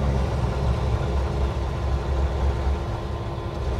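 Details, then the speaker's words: 1953 Pontiac Chieftain just after a cold start, no choke fitted: low, slightly uneven idle, running a little rough without choke. "now she's going to run a little rough because there's no choke everybody keeps telling me pull the choke pull the choke pull the choke there's no choke"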